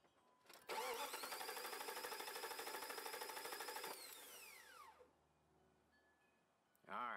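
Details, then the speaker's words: Starter test with a battery load tester (100 A at 12 V) and spark disabled so the engine cannot fire: strong, even cranking at about three beats per second for three seconds; healthy starter. "but in this case I can keep the spark plugs from sparking so let's crank it up and see where it's at"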